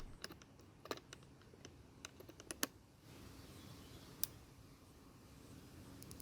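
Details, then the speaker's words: Toro mower's non-OEM multi-point spark plug (E3-type) on a spark tester: sharp irregular snapping ticks, a few per second; plug sparks, mostly from the right side only, occasionally the left. "well the spark plug works but it's hard to tell that it has sparks from multiple points all the time it did eventually spark a few times from the left side but most often it only sparks from the right side"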